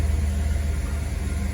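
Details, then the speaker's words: Mercedes 420 SEL (W126), M116 V8, after fuel accumulator replacement for hard cranking; starts quickly, then smooth, even low idle rumble with no misses or knocks, running great. "There you go. You don't need to start for too long. Now this thing is running great."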